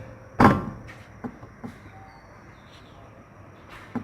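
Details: 1997 Fiat Palio 1.0 MPFI with 280,000 km: dull metallic clunks as the front wheel is rocked by hand, from a worn front ball joint rather than the steering box; the other side is still firm, but both are to be replaced.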